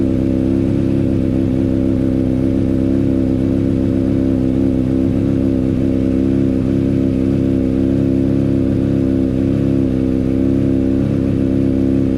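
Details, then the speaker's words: Honda CBR600RR running after a decat mid-pipe was fitted and sealed with silicone. A steady, smooth four-cylinder drone with no ticking or puffing from the pipe joints. Normal running, no exhaust leak. "well i'll be got no exhaust leaks either i can't believe i've done it"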